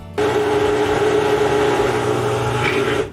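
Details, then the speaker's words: Whirlpool washer draining water: steady mid-pitched pump hum runs evenly about three seconds then cuts off; normal drain sound. "you will listen to this sound when the water is training"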